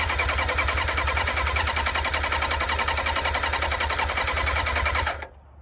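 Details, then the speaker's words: Auction-find Yamaha sports motorcycle revival, full choke, broken fuel knob: steady fast starter churn about three and a half beats per second for five seconds, no catch after one brief fire; cranks but won't start, suspected no fuel delivery. "Did you GUYS HEAR THAT? SHE FIRED FOR A SPLIT SECOND. Try half choke. No choke maybe? I wonder if we're not getting gas to it."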